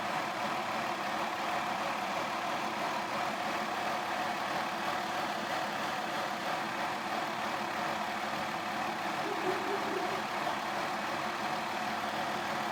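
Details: 2002 Mazda Tribute cold start: ragged, unsteady idle with light rattle and shaking, stalls unless throttle held; throttle body cleaned, oxygen sensors and spark plugs replaced without curing it; rough cold idle with rattle.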